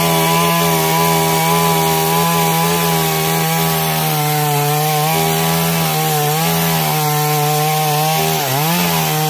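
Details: Stihl MS 382 chainsaw after no-start problem fix, cutting under load: strong steady high-revving buzz holding pitch through the cut, dipping only briefly near the end; runs cleanly, normal.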